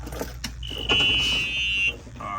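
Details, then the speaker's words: EZGO RXV 48-volt golf cart that won't run, key turned on in Run position: single high steady electronic controller beep at key-on, taken to mean a bad electric brake needing replacement; suspected, not confirmed. "so we hear a beep beep beep all right so what that means man uh no more tests needed for this what that means is the E bra is bad uh replace your e brake"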